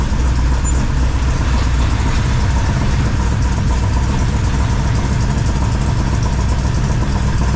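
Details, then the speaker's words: 1978 squarebody V8 with carb, full roller rockers, new 3" exhaust and Flow Monster mufflers, first start: deep steady burble, loud even exhaust, faint light valvetrain tick normal for roller rockers; healthy idle. "uh yeah seems to be running fine if you noticed when I walked around front there's a little valve train noise but if anybody's everever run full roller rockers they have a little bit of noise"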